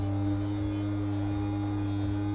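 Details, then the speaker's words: Piper Saratoga with freshly overhauled engine, master on, left tank selected before first start in two years: electric fuel boost pump gives a steady, even hum with no surging or rattle, then cuts off; fuel pressure confirmed, running normally. "right, they got fuel pressure and we'll"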